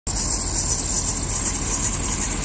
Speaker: so now we'll be showing this problem many people have shown a repair for this the belt drive belt or serpentine belt squeak you hear the crystal clear squeak